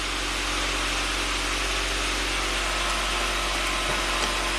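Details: 1993 Saab 9000 CSE Turbo at hot idle holding a fast, steady, hissy idle of about 1,400 rpm that never drops back; check engine flashing code 5 (TPS signal suspected), throttle near-stalls when punched, suspicious aftermarket wiring; high idle.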